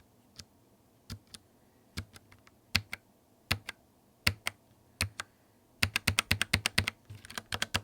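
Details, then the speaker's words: Typing on a Logitech MX Mechanical keyboard with Linear Red switches: soft, even bottoming-out taps with no clicks, scattered then about ten per second. No tactile bump, smooth and fast, and much quieter than Clicky Blue. Normal. "The linear red switches have no bump, so there's no tactile feel to them. The only part of the keystroke you feel is when the key bottoms out, which gives them a super smooth and fast typing motion, but without any resistance. These also have a much quieter sound than the Clicky Blues."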